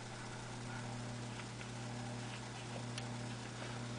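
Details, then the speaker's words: Philco 42-380 radio chassis out of its cabinet, run on a homemade variac through a bulb at about 70 volts: faint steady speaker hum that the volume control doesn't change. Speaker hum. "we're going to turn the ceiling fan off um and you can hear a home out of the speaker very faint hum and the volume doesn't do anything doesn't seem to change it"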